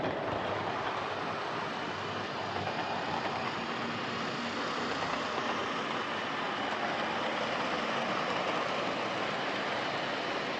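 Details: Old Lima Class 31 model locomotive in freight livery, overhauled (extra pickup added on front bogie), running round the layout: smooth, steady whir with no stutter or speed change, consistent speed, no pickup issues; normal running.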